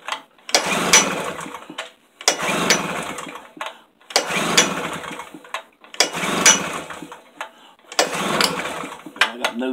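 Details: Tailgator generator that ran a couple of times, then sat about three weeks; five pull-cord cranks about two seconds apart, each dying without firing. Cranks but will not start, cause unknown.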